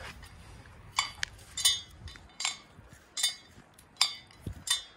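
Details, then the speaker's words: 2002 Bobcat T200 (Deutz turbo diesel) with failed track drive motor: case turned over gives irregular light metallic clinks; a loose internal port plug rattling inside the drive motor. "so this side you know there's nothing inside so there's nothing left i'm like what the hell is making that noise you know then i you know decided to take this plug and i'm looking at it inside and it's just sitting just like that inside"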